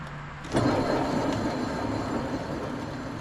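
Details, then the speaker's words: 2012 Toro Timecutter SS 5000 mower deck: a spindle spinning freely gives a rough whirr with a faint thin tone, unlike the quiet one beside it; noisy spindle bearing suspected, and new spindles are on hand to replace them. "and that one's a bit noisy so um when this guy traded this machine into me he gave me these new spindles two of them though and I wonder if he knew that those two were starting to go"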